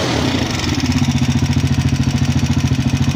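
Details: Motorcycle at idle: loud rapid metallic rattle, about ten knocks a second, like coins inside the engine; top-end clatter, cause unknown, to be fixed next day.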